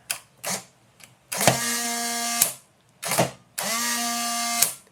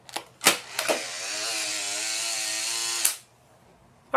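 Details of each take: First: Polaroid SX-70 Model 1 film drive motor after reconditioning and drive shaft lubrication, original motor: two quick bursts of smooth steady whirring, clean start and stop, no drag or grinding; runs normally. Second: Polaroid SX-70 Model 1 instant camera tested with empty film pack: thin, labored two-second film drive motor whir, sluggish rather than crisp; motor very slow, needs refurbishing or replacement.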